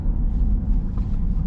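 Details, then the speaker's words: 2015 Chevrolet Corvette Stingray, 39,500 miles, cruising: steady low roar under road and wind noise, unchanged on or off throttle and changing pitch when turning; owner suspects a wheel bearing. "so going down the road sounds like a roaring noise so i picked up on this noise a few days ago"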